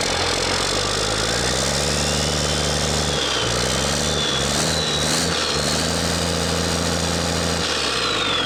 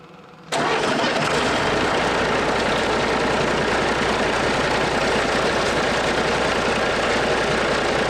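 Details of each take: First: DT408 NGD diesel (P7100 pump, to be rebuilt as DT466) idling after first firing, no knocking: slightly uneven loping beat with one cylinder pulling weaker; number one firing less well than the other five, a lazy cylinder, cause not determined before teardown. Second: DT466 NGD diesel in a Fargo LCF truck being rebuilt, fire-up after rebuild: quiet, then catches and settles into a steady, even diesel clatter at idle with no knocking; normal start and idle.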